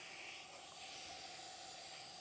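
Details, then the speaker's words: Porsche 911 Carrera 3.2L engine on a test stand, not running, during a leak-down test: quiet, steady hiss of air escaping where the tester hose threads into the cylinder head; fitting needs tightening. "Actually, I can hear a little bit of leakage where the hose goes into the head. So I just want to make sure this thing's good and tight. You shouldn't hear it leaking there."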